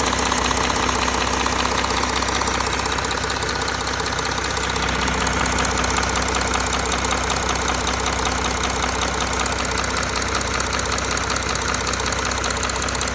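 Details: Audi A4 3.0 TDI (CRTC) diesel, cold with oil temperature below 60°C, at idle: a sharp, even knock about two or three per second stands out over the clatter. The source is not yet pinned down.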